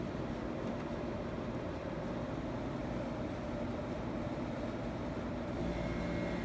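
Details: 1984 Carrier Siesta 5000 BTU window air conditioner, reciprocating compressor kicked on with fan on low: steady fan rush, then a low hum and faint tone as the compressor starts smoothly without knocking or rattles; normal compressor start.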